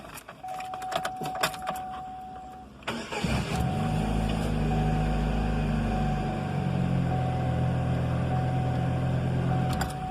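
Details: 2001 Chevrolet Cavalier after starter replacement (old starter's teeth destroyed, missing engagement): brief quick crank, engine catches at once and settles into steady, even idle, three clean starts; starter healthy.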